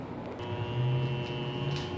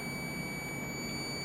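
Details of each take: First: Water Ace sprinkler pump motor with earlier epoxy-repaired shaft: steady low hum with no run-up, drawing locked-rotor amps until thermal overload trips, even with capacitor disconnected; owner suspects the centrifugal start switch, capacitor replacement didn't help. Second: Water Ace sprinkler pump motor that wouldn't start, disassembled: steady unbroken multimeter beep; centrifugal start switch contacts show continuity, though the switch was later found to be the fault.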